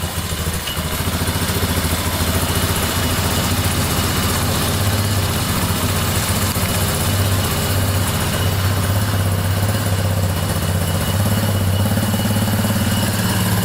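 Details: 1987 Yamaha Warrior 350 single-cylinder ATV, restarted with fuel poured on the carburettor, electric starter removed for grinding: a loud, steady thump at fast idle with an even rhythm and no misses; it runs well.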